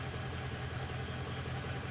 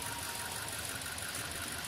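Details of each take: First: 2003 Ford F350 6.0 diesel that starts, runs rough and stalls; deep idle with an uneven, loping pulse as cylinder seven fades; injector leaking combustion gas into the fuel causing misfire. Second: 2003 Ford F350 6.0L diesel that starts, runs rough and stalls, suspected combustion gases in the fuel: at key-on an even, steady electric buzz with fine chatter for about six seconds. All eight injectors are firing properly.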